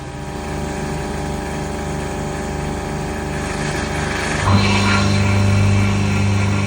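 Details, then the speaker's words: Sailboat watermaker after pump repair, still not working correctly. The pump ran 10 minutes, stopped, restarted after 1:22, stopped after 5 minutes, restarted after 2 minutes. Low hiss, then a steady deep hum as it kicks on; abnormal on-off cycling with changing intervals. "A minute and 22 it kicked back on. Okay. Now after 5 minutes the pump has gone back off. Now again after 2 minutes the pump has turned back on. Intervals are getting are changing."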